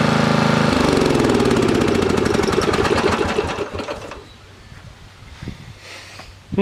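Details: Briggs & Stratton 13.5 cast-iron-sleeve riding mower engine, bench-mounted, gas fed to bowl after flooding; single cylinder pops steadily, then beats slow and spread until it stalls after about four seconds; owner suspected hydrolock from excess gas, wonders about mouse nest.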